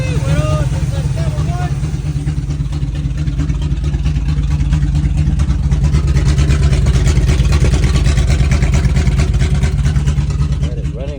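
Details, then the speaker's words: 1978 Chevrolet C10 after carburetor part replaced and fuel feed corrected (engine was getting more air than gas), electric fuel pump added: deep steady even rumble, no misses, running smooth. "now that I figured out the that you were it was actually getting uh a lot of more air than then gas so once I corrected that that's all it was"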